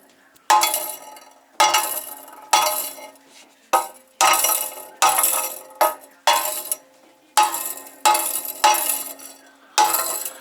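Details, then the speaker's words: Alfa Romeo GT 2.0 JTS with engine off, exhaust pipe shaken by hand: about one burst a second of loose metallic clinking; something rattling inside the upper exhaust sections. "Короче, что-то в трубах, Держи. Что-то в трубах дребезжит."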